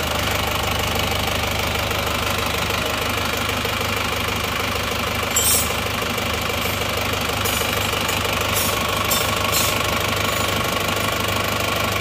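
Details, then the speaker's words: Isuzu Panther diesel after rebuild with new liners and rings, now fitted with genuine pistons replacing imitation "made in Japan" ones that ran rough: even, steady idle clatter with no heavy knock, smooth and healthy, far quieter than the fake pistons. "jadi ternyata suaranya suaranya sudah halus bagus perbedaannya sudah sangat jauh ya antara seer yang asli dan seer yang KW"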